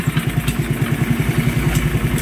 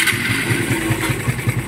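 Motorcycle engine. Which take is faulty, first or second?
second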